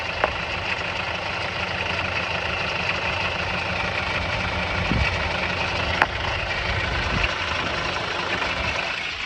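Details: Mazda 6 petrol engine at idle after timing work, recorded near the wheel: steady idle with sharp irregular rattles every couple of seconds; suspected stretched or slack timing chain slapping the guide or tensioner, or a possible assembly mistake, before timing chain replacement.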